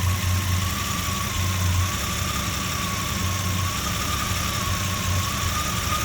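Idle beat loping and wavering, low thump uneven rather than steady; a rough idle, cause not evident from the sound.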